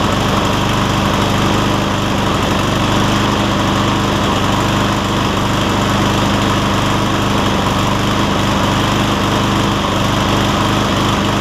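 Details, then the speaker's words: Cub Cadet SR621 push mower with a Kawasaki engine: a steady, even single-cylinder beat with no misses or surging. The owner notes it takes 30 seconds to a minute to find the right fuel-air mix, then runs great. "I don't know how well that camera picks it up, but you can hear, I can hear at least, that it takes about 30 seconds to a minute for it to pick up the right rhythm or the right fuel air mix, and then it takes on off and runs great after that."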